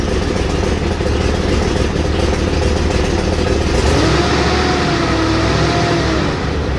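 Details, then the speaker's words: Chevy Trailblazer 5.3L V8 after DOD/AFM delete, exhaust pipe only about halfway welded: loose, uneven puffing tick of roughly three a second over the idle rumble; exhaust pipe leak, not manifold. "All right, so this is round 2 after some spray and pray welding. I maybe got halfway around that pipe. So it's better, but it still ain't great."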